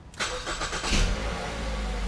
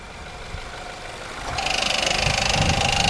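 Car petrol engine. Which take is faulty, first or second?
second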